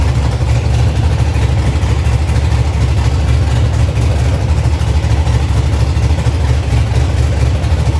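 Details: 1965 Chevy C50 truck with swapped first-gen 12-valve Cummins diesel, manual 5-speed, first run after new wiring and fuel lines, not yet tuned: deep, steady diesel idle with even firing, no knocks or misses; runs healthy, normal idle.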